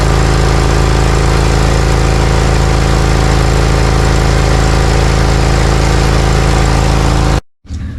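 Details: Briggs & Stratton Vanguard 20 HP V-twin zero-turn mower after the old boot was fitted onto the spark plug wire: loud, even, steady V-twin beat with no stumbles, then shutdown. It is running smoothly.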